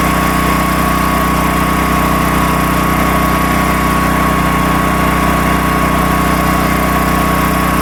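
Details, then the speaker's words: Predator 13,000 W tri-fuel generator running outside an uninsulated shop door: loud, steady drone with an even low hum and constant pitch; running normally under no load. "And, I mean, it's loud, but it's not terrible."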